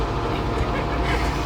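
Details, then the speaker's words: John Deere logging skidder after a complete overhaul following engine failure, first start-up from the cab: deep, even diesel rumble with a smooth steady beat and no knocks or rattles; normal diesel running. "She purrs. She purrs."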